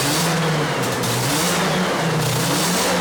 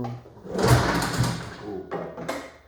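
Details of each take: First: 1981 Yamaha SRV 540 two-stroke snowmobile, barn find, first start after carb cleaning, new spark plugs and chain case oil: fires right up and revs freely with crisp rising and falling pitch, no misfire or bogging; running healthy. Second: 1981 Yamaha SRV 540 snowmobile, barn find, after carb cleaning and new plugs: several rough recoil pulls, each a brief churning burst that dies without catching; won't start, later found debris holding the reed valves open.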